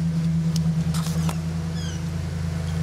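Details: Vintage Crompton Parkinson electric motor on test after cleaning: loud steady mains hum with heavy low drone, no speed change. Runs, but draws about 12 A instead of rated 2.15 A; owner suspects partially shorted run winding.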